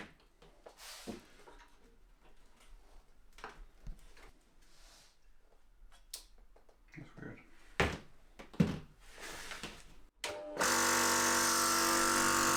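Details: First HPA compressor for airsoft/paintball air tanks, rated up to 4500 PSI, test run right after unboxing; after handling clunks it starts with a steady, loud, even drone, no stumbling or knocks; working well.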